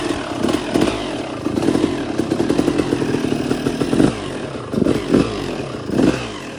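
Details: 2002 Suzuki RM250 two-stroke after full motor swap, first startup heat cycle, choke on, idle not yet adjusted: uneven burbling with surging bursts and lazy revs; rich running.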